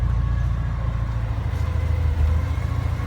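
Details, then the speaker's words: Porsche 944 at idle: a steady thin whine, never heard before, rides above the idle and does not change; the idle was also described as jumping, and the temperature gauge reads fine. Whine source under the hood not pinned down. "Hear it? Something's whining in there that didn't whine before."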